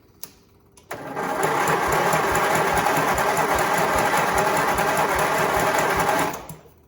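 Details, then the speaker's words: Briggs small engine on a stand cranked from a jump pack with the fuel pump running: slow, even chug of about three compression strokes a second that never fires; cranking too slowly to start, cause unconfirmed. "I feel like it's not turning over fast enough. I don't know what you guys think, but on my end of it, it seems like it's not turning over fast."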